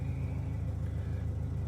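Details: Proton Waja (MMC engine, manual) after a high-idle fault: Mitsubishi Airtrek throttle body refitted, gasket issue and screw replaced, ECU mapping blamed. Steady low idle with aircon off, even pulses and no hunting or surging: a normal idle.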